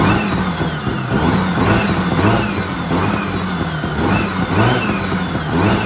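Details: 1970s Sno-Pony snowmobile with a 340 twin two-stroke, sat 20–30 years, with its rusty tank cleaned and still not pulling fuel (diaphragms possibly shot): a crisp rasp rising and falling cleanly on throttle blips. The engine sounds good.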